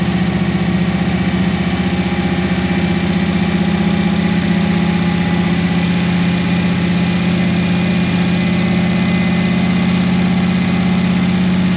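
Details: 1988 Holden VL SV88 V8, started without throttle after the Rochester Quadrajet needle and seat and choke arm were repaired, muffler off: it catches and settles into a steady, even low rumble. A clean idle, and the fuel issue is fixed.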